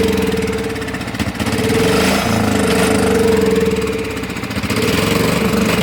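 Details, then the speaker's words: Cub Cadet HDS mower engine, running poorly on its own after revival, deck removed and rusty: runs unevenly, sagging almost to a stall every few seconds then picking back up. Surging at idle, cause unclear; it had sucked in the air-filter retaining bolt. "But it keeps acting like he's going to die and then pick back up. Not really sure what that's about."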